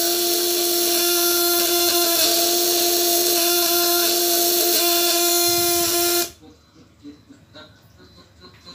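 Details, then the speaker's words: 12 V contact-breaker (platina) shocker, 1.5 kg type, on a 200–1000 W load test, run without the upper stop setting: loud, harsh buzz wavering unsteadily about six seconds, then cutting out, as the breaker arm vibrates too wide and erratically. "fungsinya ini ini untuk menahan getaran in tangkai atas biar enggak getarnya terlalu lebar kebelakangkan ditarik magnet ini jadi getarannya hanya tertahan Disini ini juga bergetar nih settingan ini harus lentur jangan seperti ini kalau seperti ini ntar dia mah macet-macet"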